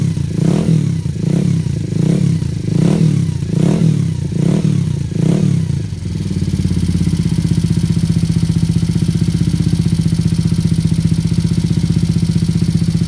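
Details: Yamaha SR250 project build (100mph), first start by kick: a few heavy chuffs then steady single-cylinder idle with fine ticking puff each firing; owner suspects exhaust or head gasket leak, engine later torn down for o-ringing.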